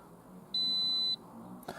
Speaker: VSC system, so traction control. There we go, so that's just from the disconnected EGR valve.